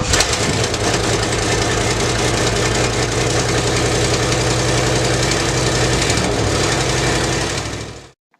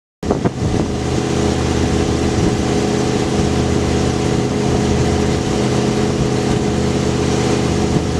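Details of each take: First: 1973 Lincoln Continental with previous owner's dual 3.5-inch exhaust: long cold crank, catches into rough lumpy idle, then shut off; hard cold start, no cause given. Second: 1973 Lincoln Continental with previous owner's aftermarket dual 3.5-inch exhaust, after long cold start: catches into deep, loud, steady rumble, no knocks or misfires; loud free-flowing exhaust note.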